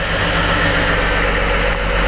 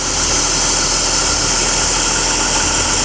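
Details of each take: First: BMW E39 with M52 engine, start at idle with hood open, then revved: loud busy top-end clatter like wrenches hitting the hood; hydraulic lifter tapping, lifters due for replacement, oil pressure should be checked. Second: BMW E39 with M52 engine after hydraulic lifter replacement: smooth, even idle with no top-end ticking, only a faint belt-roller whistle; lifters no longer knocking, engine sounds healthy.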